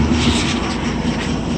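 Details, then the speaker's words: 1972 GMC six-cylinder ice cream truck after tune-up, cleaning fouled spark plugs, and correcting manifold to ported vacuum, loose hoses found that were likely leaking: smooth, even idle rumble, now running on all six cylinders. "but the car it just sounds so much better now it's running on all six cylinders"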